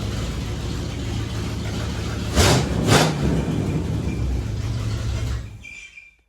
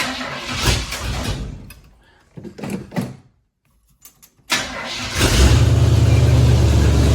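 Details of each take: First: Chevrolet Blazer V8 with new loud mufflers and a leaky exhaust, idle lowered, plugs and distributor untouched: deep, even rumble with two throttle blips, no ticking from the manifold; running healthy. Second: Blazer after exhaust repair, idle raised: engine catches after a few cranks, settles into a loud raspy idle with fast puffing tick, an exhaust manifold leak still present on the other side; recorded in a garage.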